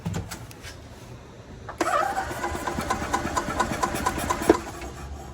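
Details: Club Car DS gas golf cart, unused about 10 years, old fuel drained and fresh gas added: the starter cranks the engine in an even chug of about four beats per second for three seconds with no firing; no start from lost spark traced to a faulty rev limiter.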